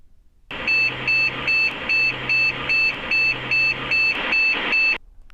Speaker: so finally it's 11 short bits cache memory test has failed your problem is in the cash payment chips on the motherboard